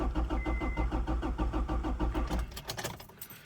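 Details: 1999 Acura Integra GSR with B20 swap, before the fuel pump is replaced: the starter cranks evenly at about three beats a second but the engine never catches, then stops; no fuel because the pump has failed.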